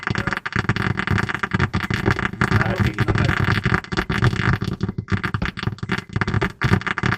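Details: 2006 Honda Accord 7 head unit with a built-in amplifier crackling in every mode, volume not responding: harsh, irregular crackle, hiss and pops through the speakers from cracked solder joints on the amplifier board; resoldering suspect joints fixed it.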